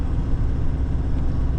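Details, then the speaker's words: Nissan Navara D40 off-road build, driving after front-left hub/wheel bearing replacement (only that bearing had play): steady low road rumble at speed, no hum or growl; front bearing running quiet. "Allez, bah écoutez, c'est cool, il y a plus un bruit. Donc euh c'était bien le roulement avant gauche."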